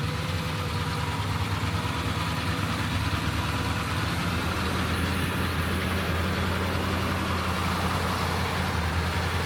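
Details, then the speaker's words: Suburban 6.2 Detroit diesel just after 25°F cold start via manual glow plug button: steady low idle clatter easing off as idle sags, cold engine struggling to hold idle speed before high idle stick applied. "Oh, she's slowing down."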